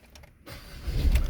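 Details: 2016 Ford Ranger XLT with a hard-starting-when-hot fault, after replacing a sensor and driving about an hour to heat it: short crank, catches within a second, settles into steady low rumble; normal hot start.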